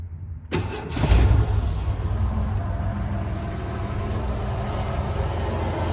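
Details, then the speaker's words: 1988 Ford Econoline E150 4.9L, start just after a new serpentine belt replaced a squeaky one that belt dressing had not cured: catches fast and settles into a smooth, even low idle with no squeal or chirp; belt drive quiet and healthy. "wow she's as quiet as ever let's hope she stays like that"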